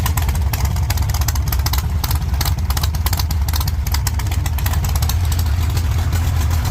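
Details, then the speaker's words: 1948 Chevy Fleetline small-block V8, after clearing water from the headers and a pushrod-breaking fix: deep, lumpy idle with even firing and no valvetrain tapping; sounds healthy, valve covers may still be inspected. "I think that sounds pretty good. I may pull the valve covers and just inspect everything."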